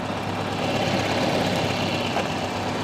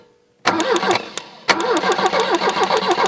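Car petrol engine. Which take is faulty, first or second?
second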